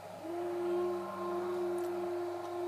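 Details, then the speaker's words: 10W LED moving-head disco light with the pan/tilt speed setting (setting seven) slowed for smooth sweeps, sliding pan and tilt to max/min: an even, mid-pitched stepper-motor whine with no stutter or clicks; normal smooth pan. "for nice smooth sweeps. And that's me, say that's me sliding the pan and tilt up to max minimum. It does so at a controlled speed that you can set."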